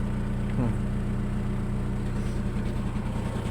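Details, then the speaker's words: Volkswagen that only clicked the starter solenoid without cranking, after cleaning the starter solenoid contact bolts: engine started and holds a steady, even low idle with no knocks or stumbles. "як бачимо авто все ж таки завелося прочистка допомогла ребята допомогла прочисточка"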